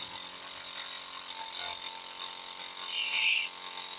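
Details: MFA Stingray vintage model speedboat: small brushed electric motor whirs high and thin with a rough, ratchety death rattle after smoking on the water; it had been serviced the year before; ESC cold, LiPo warm; suspected worn brushes; motor to be replaced.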